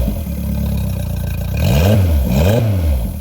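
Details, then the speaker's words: Mercury 60 hp CT outboard, about 150 hours, swapped onto a Powercat, idling on the hose after refitting the fuel pump, 40 PSI steady fuel pressure: clean quick revs falling back smoothly, no stumble; normal revving, fuel issue appears fixed. "Seems fine to me. That seems really good."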